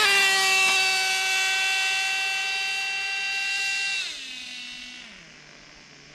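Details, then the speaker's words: Traxxas Nitro 4-Tec two-speed nitro RC car, retested after tightening the shift adjustment and richening the mixture (owner suspects a missing shift spring): high screaming note steps down as it shifts cleanly into second gear; normal gear shift. "shift did pretty good you can hear that really good"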